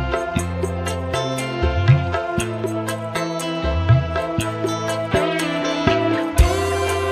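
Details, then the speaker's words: Polytron PAS 68 active speaker that shut itself off after about 15 minutes once hot, after repair: full, clean music across bass and treble, no crackle, buzz or hoarse distortion; earlier raspy midrange gone, normal playback. "Di sini untuk suaranya normal teman-teman, normal, jadi tidak serak, tidak ngebret."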